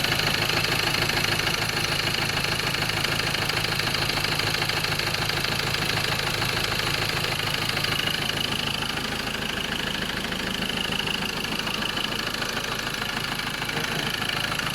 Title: Ford ranger 2.2 xlt 2011-2014.. M/T engine knocking